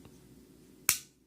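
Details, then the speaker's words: Glock Gen4 G23 .40 cal function check after full teardown and reassembly; trigger pulled again with finger held, one sharp crisp click then faint reset tick in a quiet room: normal trigger reset. "Make sure it resets. Keep your fingers on the trigger while you pull it again."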